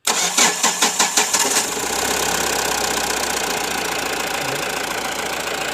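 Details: Mahindra Bolero Pickup BS4 diesel after repairing a detached sensor wire causing intermittent no-start (codes P0193, P1405 etc.): starter cranks about seven even beats, catches within two seconds and settles to steady idle; starts cleanly.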